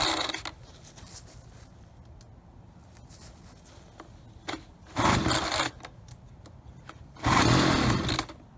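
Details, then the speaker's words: Ryobi BP42 backpack leaf blower, 4 years old, after repair of no spark and leaking carburetor, new carburetor dialed in: light two-stroke idle with sharp blips to full rasping revs falling back cleanly; normal idle and revving. "okay so the engines all set carburetors dialed in we obviously we have ignition fuel lines are all set"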